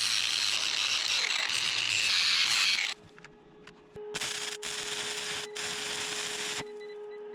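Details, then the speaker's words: Inverter powering a stick welder at 120 V with 6011/6013 rods: the arc crackle stops, then short bursts of mid-pitch beeping follow. The owner suspects the welder's high amp draw. Inverter overload alarm. "You can hear the inverter beeping after most of my welds. Yeah, the inverter's not happy with this either."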